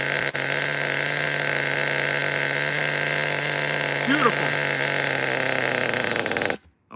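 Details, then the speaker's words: Over-20-year-old Smartech nitro RC buggy engine, bench test start on a cold night after repair: fast, buzzy, steady idle that doesn't settle low, then cuts out; idle set too high, needs turning down. "Okay, lower the idle, let me fire it up again. Easy start, guys, easy start. So, gotta adjust the idle a little bit there."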